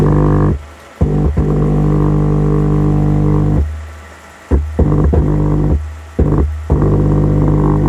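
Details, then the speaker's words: Wisdom active subwoofer, no-sound repair with 5A 45CT transformer: speaker test load on driver output, input touched via capacitor; low steady buzzing hum through speaker cuts in and out, signal passing, amplifier output normal. "output speakernya terdengar ya di speakernya Nah itu teman-teman untuk speakernya sudah terdengar"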